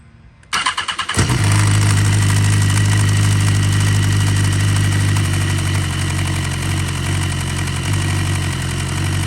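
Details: 2014 BMW S1000RR at start-up after replacing the OEM black cam chain tensioner plug with the longer silver plug: metallic clatter for the first few seconds, slack cam chain rattling.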